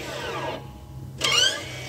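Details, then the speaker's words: Jeep Compass parked, electronic parking brake applied and released with the button: two short motor whirs over idle hum from the rear caliper electric actuator; completely normal. "ele tá soltando e puxando o freio de mão lá dentro isso é completamente normal viu galera que que causa esse barulho é o atuador elétrico da pinça de freio"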